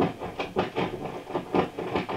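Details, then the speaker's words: Original circa-1967 VOX AC10 guitar amp, vibrato depth pot turned near zero: crackly hissing bursts a few times a second through the speaker; not dirty after repeated cleaning, about 18 V DC on one side of the pot causes scratch. "all that racket as we go close to zero that's not a dirty pot i've cleaned the pot several times that's dc on the pot"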